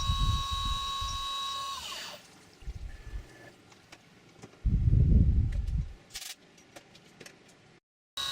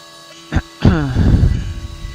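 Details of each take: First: CNC milling an AR15 high-rail gas block side: steady, clean spindle whine with no end mill chatter at the back of the cut because material was relieved in an earlier operation. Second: Milling machine cutting 3D contours on an AR15 high-rail gas block side wall: over steady hum, a brief falling-pitch chirp of end mill chatter on extensive travel, leaving tool marks.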